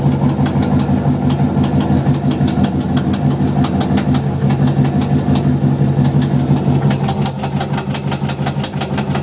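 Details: 6L V8 L76 Holden Thunder ute idling: steady sharp knock about three a second over the engine note, appeared the day after purchase, cause unknown.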